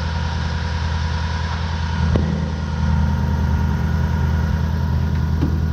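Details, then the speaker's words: Toyota 1UZ-FE V8 at idle with diagnostic jumper in: steady, deep, even pulse with no knock, but ignition timing reads about 40 degrees instead of the 10-degree mark, so timing is out of specification. "normally it should be when it's all lined up at the 10 degree mark this one isn't so it pays on a late-model fuel-injected car to still check the timing to see if other things might be wrong"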